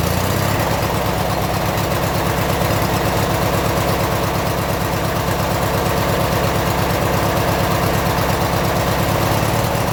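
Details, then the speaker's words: 1996 Briggs & Stratton 17hp I/C opposed twin, first run in over ten years, Seafoam added: even, steady low putter at idle with a regular beat, no misses or knocks, good idle; some smoke. "nice got a good idle sounds good on an idle"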